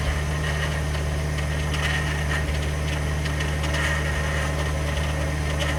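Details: 2021 Ford F150 PowerBoost remote cold start at about minus 20: steady low idle drone with a rough gritty churning/cavitating grind; source of the grinding not yet pinned down.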